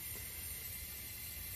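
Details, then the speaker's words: 15-ton Trane unit, circuit 2 lost all R-410A refrigerant: pressurised with nitrogen a little over 250 psi, steady high hiss of gas escaping, heard and felt at the leak, confirmed with bubbles; refrigerant leak, repaired then vacuumed and recharged 11 lb. "I had the nitrogen sitting at a little over 250 psi and it didn't take much long but I could start to hear it feel it with"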